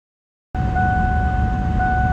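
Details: 1995 Ford Mustang GT V8 after replacing idle air control valve, throttle position sensor and PCV valve to cure rough, surging idle: idles smoothly and evenly, steady high tone over low rumble; normal idle.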